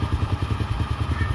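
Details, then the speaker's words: Honda Star (Astra) motorcycle after repair, before full warm-up: a steady, even idle of about eleven pulses a second with no top-end clatter. The clatter was caused by a clogged oil pump not lifting oil. "ini kan sudah halus, biarkan dulu sampai panas."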